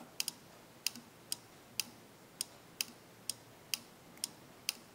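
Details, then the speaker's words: Electromechanical relay on a development board, energized from a supply: sharp, crisp clicks about once a second as the contacts change state on applying and removing power; the relay is working properly. "this is an electromechanical relay when we energize the quote we are mechanically changing the state of the contacts inside and that's what we're getting that clicking so the clicking is good we want to hear that when we apply power"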